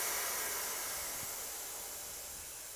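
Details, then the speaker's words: Mantus scuba diving compressor: the bleed screw is turned counterclockwise to vent trapped pressure from the fill hose before removing the fill valve. A steady airy hiss fades over a few seconds with no sputter; normal depressurization. "all right so now that you can no longer here here the hissing of the air we know there's no more pressure inside this hose"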